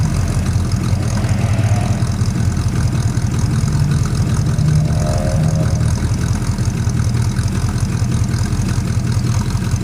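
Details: Plymouth Suburban wagon, carb rebuilt and cleaned, new distributor, ignition module, ballast resistor, regulator, plugs, wires, cap, rotor, coil, exhaust leak present: low uneven idle with irregular stumble about once per second; misfire, owner suspects intake manifold leak.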